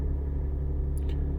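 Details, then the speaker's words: Lexus IS200 straight-six at idle after ignition coil replacement, checked with an ELM327 phone app showing zero misfire counts on all cylinders: smooth, steady, even idle rumble with one light click, no stumble; all coils working. "ale jak widać nie wyskakuje żadna wypadanie zapłonu wszystko jedno zero to oznacza że wszystkie cewki są tym momencie sprawne"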